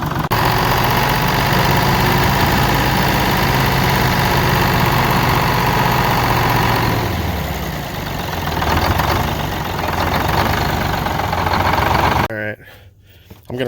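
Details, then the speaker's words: Texas Silversides bus diesel, first start after rescue; heavy idle with an uneven, lumpy beat and occasional stumble, with a puff of smoke each time; top end suspected: intermittent random misfire. "So we started developing a bit of a misfire here. It's a little bit random, but we're getting a good puff of smoke when it happens each"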